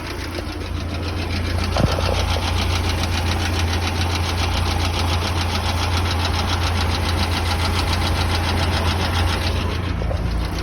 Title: Стук двигателя